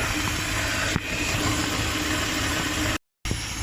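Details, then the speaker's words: 1988 Range Rover Classic with TVR V8, engine bay view with bonnet open: even steady idle, smooth low burble, light top-end hiss, no knocks or misses; normal idle. "we have the tvr v8 if you can hear me i believe it's pretty much the same block as the standard one it's the internals that are different and it has 250 horsepower over the 180 i believe this standard in the normal one"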